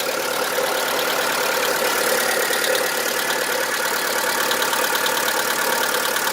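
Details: VW Polo 1.4 16V BUD: a steady, light diesel-like knock at idle, a little over two per second, getting louder over time; new lifters and additives didn't help; the owner concludes it is piston slap.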